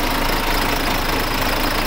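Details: Freshly overhauled diesel engine, first start. Steady, even idle with a smooth low thrum and no knocks or misses; sounds healthy.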